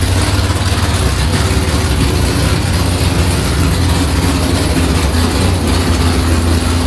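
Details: Nissan S15 with a V8, first start after batteries sat a long time, fuel rails pressurized and checked for leaks, throttle worked by hand cable: deep, lumpy rumble holding a steady, even idle with no misses or knocks, running cleanly.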